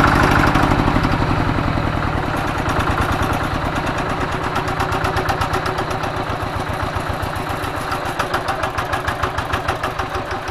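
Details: Single-cylinder diesel tractor, previously hard starting, smoky and weak from worn plunger, after plunger replacement: crisp evenly spaced pulses about 220 per minute, starts on low throttle; normal idle.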